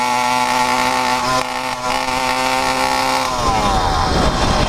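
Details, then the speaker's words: 100cc PK100 two-stroke motorized bicycle engine, freshly rebuilt with new iron-sleeved 49mm cylinder, on break-in needle setting: sharp high buzz revs cleanly and holds steady without stumbling; runs strong. "She revs. She still had more."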